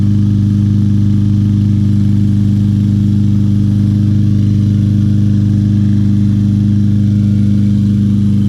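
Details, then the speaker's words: 2020 Craftsman M320 self-propelled mower, 163cc Briggs & Stratton, said not to run, started easily despite clogged air filter: steady even single-cylinder drone, no misses, knocks or surging; normal running. "and it still runs with that air filter trying to self-propelled I don't want to cut much because my blade it needs sharpening that's one of the best running"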